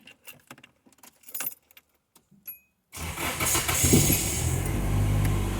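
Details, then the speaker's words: Nissan SR20DET, newly wired harness and ECU, intercooler piping not installed, pre-cranked for oil: keys rattle, engine catches straight away and settles into steady, even idle; normal healthy start-up, camera exaggerates internal noise. "On the camera picks up a lot of noise, but it's for it's here right now, it's quiet, but the camera picks up a lot of internal noise in the motor, so it probably sounds a lot noisier on the video."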